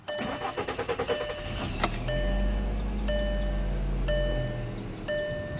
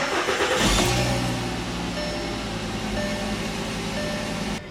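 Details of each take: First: 2010 Volkswagen Jetta SportWagen 2.5 SE, 138,439 miles, parked on a hill: about two seconds of uneven cranking before catching to steady idle; owner suspects gravity-fed fuel pump causes slow hill starts, cause unconfirmed. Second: 2010 Volkswagen Jetta SportWagen 2.5 SE at 138,439 miles, started on flat ground: brief crank that catches within about a second and settles straight into a steady, even idle with no stumble; a normal start.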